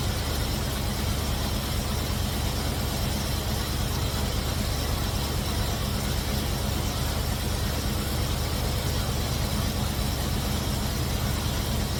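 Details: Cutlass V8 after fitting MSD 8225 HEI coil, MSD 83647 module, Moroso Ultra 40 wires and ACDelco R44LTS plugs to cure long-running misfire: smooth, steady idle, no misses or stumbles, with timing set close, carburetor circuit adjusted, vacuum mid-range.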